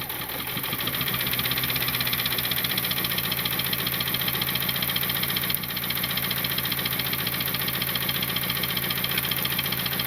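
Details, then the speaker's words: Turbocharged Honda Civic (R18 turbo kit) after blowing the engine, plugs back in and fuel pump fuse restored: uneven idle with a steady rapid knock near four per second; leak-down test showed valves fine, timing chain throwing much oil, cause not yet found. "Okay, so you heard the knock a little bit, and the timing chain is kicking up a lot of the oil."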